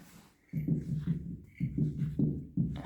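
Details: BMW 330Ci 2000 original type 188K rear differential, off the car and turned slowly by hand: rough grinding clunks about once a second; owner unsure whether it should sound like this and plans to open it.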